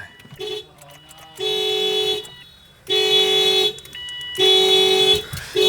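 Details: Project car with a loose connector: horn blasts roughly a second long repeat in a steady on-off cycle, the alarm sounding continuously for minutes and not shutting off.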